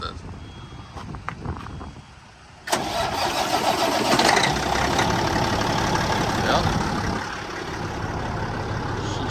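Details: Caterpillar diesel truck engine after a new water pump, coolant diverter valve and IVA delete, freshly painted: cranks briefly, catches and settles into a steady, even idle with no knocks or misses; sounds healthy.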